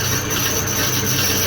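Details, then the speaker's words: Drill boring holes in Morris Minor leaf spring steel for a knife, with lube; steady high-pitched squeal over the cut after three holes as the bit dulls and needs sharpening. "hear how it's slightly squeakier that's because it's dulling off it'll need to sharpen"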